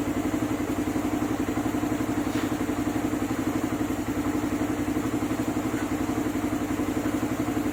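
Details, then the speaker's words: Suzuki Raider 150 idling after a clutch housing and lining change (an earlier housing was oblong and had to be machined again): steady even single-cylinder idle, no clutch-side rattle; engine now quiet, all good. "Ayan, okay na. Ayan, tahimik na yung makina nyo. Tahimik na. All goods."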